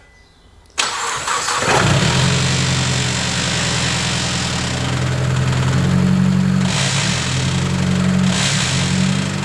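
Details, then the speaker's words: Engine started cold in park after gearbox oil change, 8.5 L put in instead of 5.5 L: cranks, catches, then loud idle with a heavy droning hum and unusual noise in park, gone in neutral and drive. "Well, it didn't like being in park then. It was making a really weird noise as you heard. Um, we've not heard that one before."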